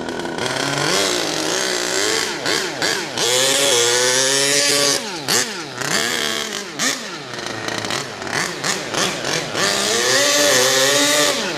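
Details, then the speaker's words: HPI Savage Octane RC truck, petrol two-stroke, likely still running in: crisp buzz climbing and falling through repeated throttle blips to high revs; strong, healthy run. "Oh yes. Now we're flying. Dreamy! Absolutely dreamy."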